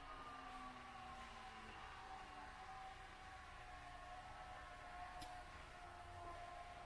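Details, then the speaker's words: Tesla Model 3, parked and plugged in during an over-the-air update with ventilation off: faint steady high whine with thin drifting tones from the drive motors. Cause unknown; owner wonders if motors such as the wipers are resetting. "now the ventilation is not on but you could hear like these kind of mystery noises coming through"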